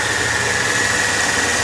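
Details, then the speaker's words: Mercedes E320 running on a used junkyard belt tensioner pulley: a steady high-pitched whine rides evenly over the engine from worn tensioner and idler pulley bearings. "it's an old part of the jumpyard and upon cheting it it's actually making a noise"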